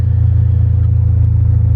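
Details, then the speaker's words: Non-E85 gasoline car running lean on E85, after tuning software added 30% fuel: air-fuel ratio back to 14.7 and engine perks up into a steady deep rumble with even pulse, no stumble; smooth idle after fuel correction. "30% almost melted it's right back at 14.7 and i'm sure you could hear that the engine did it perked up a little bit of sound that sounds happier"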